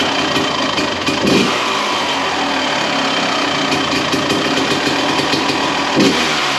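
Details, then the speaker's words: 1993 Honda CR250 two-stroke, cold start after crank seal replacement and muffler repack: crisp crackle settling into an even, rapid idle with light blips and no rattles, much quieter than before; healthy, though carburetor later leaks fuel. "There we go. That sounds crisp. A lot quieter than what it was there before."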